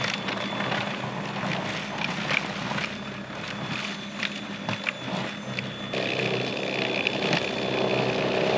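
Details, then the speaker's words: Greenworks 80V battery-powered snowblower, first use, clearing a 1–2 inch layer of light snow on an untouched pathway: steady motor whir with the auger churning snow, no knocks or grinding; normal operation. "So not too shabby. It actually worked pretty well."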